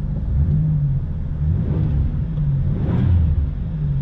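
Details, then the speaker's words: 1998 Buick Riviera parts car, L67 supercharged 3.8L 3800 V6, 157,278 miles, revved a couple of times after a transmission check; deep, smooth note swelling and settling with no knocks or whine, runs very well and quiet, healthy engine. "actually runs very well i'll step outside real quick so you guys can hear how quiet it is"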